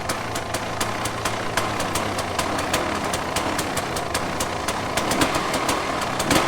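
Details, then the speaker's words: 2006 KTM 300 XC-W two-stroke after top-end rebuild (re-plated cylinder) and crank seal replacement, started cold on choke: steady even popping idle, about three firing ticks a second, no rattle or misfire; runs healthy. "now that's idling so it uh it has a choke on right now but it's still idling"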